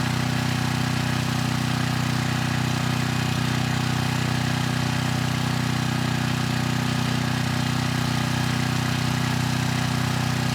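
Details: 6,000 watt Troy-Bilt generator after AVR adjustment to 119.9 volts, 3000 watt load test: steady, even low hum at constant speed, no hunting or misses, above 60 hertz at about 118.6 volts; healthy generator under load.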